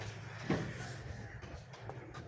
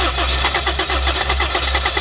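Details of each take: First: Toyota Corolla with newly fitted gas kit, after reconnecting sensor connectors including the cam sensor: quiet cranking, catches on first crank, settles into steady run with light rev; normal start and run. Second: Toyota Corolla with newly fitted gas kit, morning cold-start problem, check engine light on: starter cranks at an even, quick four to five compression pulses a second but never catches; injector pulse, coil power and fuel pressure found fine; crank no start.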